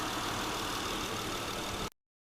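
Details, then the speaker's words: 2008 Honda Odyssey 3.5L after replacing both serpentine belt tensioner and pulley bearing: brief steady idle with no squeak or chirp; squeaking noise fixed, normal idle. "So let's crank it up to see how it sounds. Alright, so the problem is solved."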